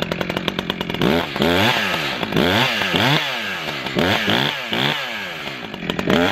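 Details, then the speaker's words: New Echo CS-620PW 27-inch chainsaw, first-ever start with fresh fuel after choke and decompression valve: fires crisply, revs up and drops back repeatedly with clean even pitch swings; normal start and running. "after you hear that sputter and you take the choke off it usually starts right up but we'll see we haven't had any fuel run through this yet"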